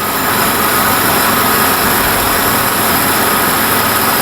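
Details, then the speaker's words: Barn-find Jaguar/Daimler Mk2 hemi-style 2.5 litre V8, freed from seized and running on fuel poured in: harsh fast idle with hard mechanical clatter, deep bottom-end knock; suspected seized gudgeon pin or piston knocking in bores, unconfirmed. "Yeah, but still, that's a knock. But see, that could be a seized gudgeon pin as well. So the piston's knocking, going up and down the bores."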